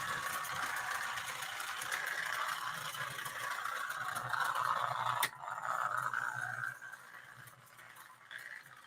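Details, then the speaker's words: Old toy locomotive, motor atop the rear driving gears throughout, at full throttle: raspy fast whirring grind fading as it moves off; normal coarse gear-train noise for this design. "You've got the motor on top of the back here. So you've got another meat grinder. And that's exactly what the thing sounds like, too."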